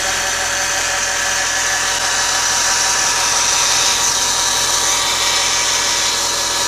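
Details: Audi A6 C6 2.0 TDI BRF diesel at idle: constant high-pitched whirring hiss from belt drive; after alternator bearings, alternator pulley, belt and tensioner were replaced, cause found to be worn deflection/guide pulley 03G145276A; worn idler pulley bearing.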